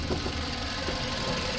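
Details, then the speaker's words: 2011 Kia Soul four-cylinder at idle after sitting two weeks: the belt squealed briefly at start-up, then quieted. Now an even, soft low hum with no squeal, sounding settled and healthy. "and when I started it up the belt did squeal a little bit um and then it quieted down so again that's a we haven't started it in two weeks type of thing"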